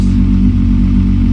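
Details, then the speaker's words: VW MK4 R32 VR6, heard from outside: deep, even six-cylinder burble, no knocks or misses; healthy engine with loud 2.5-inch Magnaflow exhaust, high-flow cat and dual rear pipes. "It's loud. That is loud. It's fun to hear from like over here."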